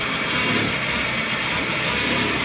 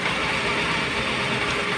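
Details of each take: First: Honda Civic after spark plug replacement cured a misfire. At idle, disconnecting each cylinder one at a time makes the idle turn uneven and lose power, unlike before, so that cylinder fires again. Finding: rough idle with one cylinder disabled. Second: Honda Civic after spark plug replacement fixed a misfire: steady, even idle with no stumble; all cylinders firing, and pulling each one drops power; engine runs healthy.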